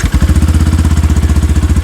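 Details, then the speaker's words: Yamaha FZ-X on self start with no throttle: catches immediately and settles into a crisp, regular, even thump; normal start and idle. "இப்போ எந்த ஒரு ஆக்சலரேஷனுமே நம்ம கொடுக்கல. இது வந்து just ஐடிலிங் condition தான்."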